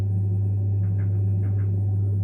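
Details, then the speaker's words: Saunier Duval gas boiler after replacing the pressure relay (previously error F2 and humming/cutting out on hot water demand): steady low fan and burner hum, no chatter or cycling, running quietly on hot water; normal running. "Котел работает тихо. и бесшумно."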